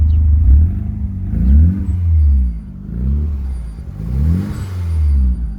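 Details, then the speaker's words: DSM with a gator-clip jumper restoring the ground: smooth, even idle and clean revs, no fuel smell, no smoke, no shaking; normal running once the ground is fixed. "One's like a dream. doesn't sink like fuel anymore. It's not blowing smoke. Not shaking terribly. Revs like normal."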